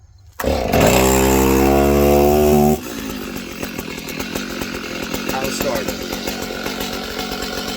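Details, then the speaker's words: Small mixed-gas two-stroke (chainsaw, blower or weed whacker) pulled once or twice with choke fully off after firing on full choke; starts at once, revs high a few seconds, then steady even idle with no misfire, normal running. "Take it fully off choke. It has enough gas in there. Pull it once or twice, you should be good."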